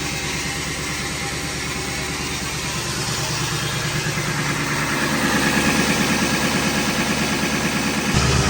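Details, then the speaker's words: Diesel after winter storage at 11°F; owner says fuel is gelling, smoking heavily, no leaks. Uneven idle clatter with slight speed rise toward end; rough lumpy running, cause suspected gelled, bad fuel. "Yeah, she's definitely gelling pretty decent, but she's running and I don't see anything leaking, so we might seal everything up, go get some fresh fuel for this girl. She is smoking like a banshee."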